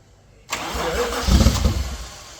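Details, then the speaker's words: Toyota Supra engine, first start attempt after about 10 years sitting, low fuel, leak seen: short cranking bursts that never catch, crank but no start; owner suspects ignition timing. "Not a lot, but let's crank it some more. Oi. It's probably just the timing that It's just the timing."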